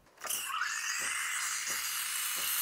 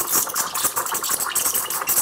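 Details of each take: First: Milk steaming on an espresso machine (CRM3605): wand tip sits too deep in the milk, so no chirping aeration hiss, only a smooth steady high steam roar; wand must sit at the surface. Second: Espresso machine (CRM3605) steam wand tested in water with the nozzle tip just at the surface: a steady hiss with irregular crackling chirps as air is drawn in, the normal air-intake sound and correct position for stretching milk.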